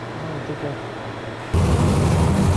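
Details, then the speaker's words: Ex-NASCAR racing V8 for a 1955 Chevy on the dyno, after a closed-up number four plug was replaced: barks to life with a strong, even roar, now firing on all eight, timing set, pickup polarity right. "so we got we found a closed up plug it's definitely running on all eight now timing is dial the polarity of the pick up is right sounds awesome"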